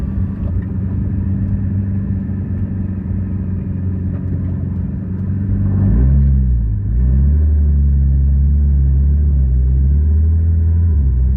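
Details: 2011 Nissan GT-R R35 rolling, front passenger side: steady low drivetrain rumble with light irregular clunks and clicks beneath it; source not pinned down. The owner's forum post concerns a stuck front passenger axle.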